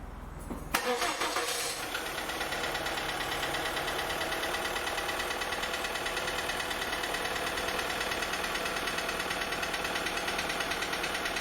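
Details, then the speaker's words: 2004 VW Polo 6N2 1.4 16-valve petrol automatic after cold start: even idle with light rapid tapping about three per second; suspected hydraulic tappets, unchanged by oil change, to be replaced. "Okay, so that's that tapping noise, which I believe is coming from the hydraulic tappets, and I'm basically going to try and I'm going to replace the tappets and hopefully sort this issue out."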